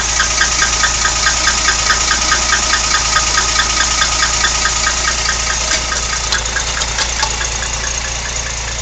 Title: 64 rambler odd engine noise